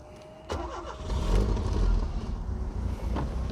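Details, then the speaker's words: 1980 Ford Taunus 2.0 Coupe, carburettor, running on LPG: brief crank, then it catches first try and settles into a smooth, even idle; carburettor well tuned, possibly needs a slight valve adjustment. "Tek marş! Bak karbüratör ayarı güzel Diyaframı miyaframı iyi Normalde böyle öksürür möksürür karbüratör bakımsız olursa"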